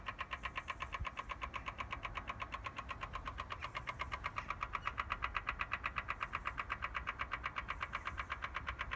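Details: BMW M4 Competition Pack, engine and ignition off, intermittently from cold as soon as a door or boot is opened: crisp, very regular clicking about 160 per minute, source unknown.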